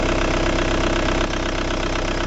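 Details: Ford Mondeo MK3 after fixing a no-crank fault caused by a burned fuse (the starter had been replaced unnecessarily): engine catches and settles into a steady, even idle with a regular low pulse, no misses or knocks.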